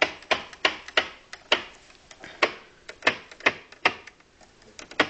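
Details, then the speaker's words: Zenith Trans-Oceanic R7000-2 shortwave radio, powered off, band selector switch turned: crisp even mechanical clicks about two a second, each detent firm and clean; normal switch operation. "I'm going to be completely quiet the radio is off so all you're hearing is the sound of the selector switch so"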